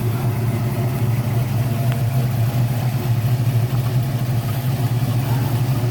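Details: 1972 Ford Mustang Mach 1 with rebuilt 351 Cleveland Cobra Jet V8, Wolverine Blue Racer cam (510 intake/536 exhaust lift, 290 duration), after rebuild: deep, steady, even rumbling idle with no knocks or misses, healthy.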